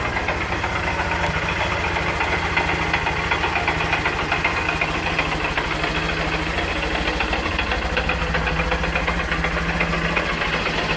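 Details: 2013 Honda CBF 125 at 15,000 miles, idling with a rough, uneven knock; oil level fine. The cause was a hairline crack in the clutch basket ring gear, a recalled issue.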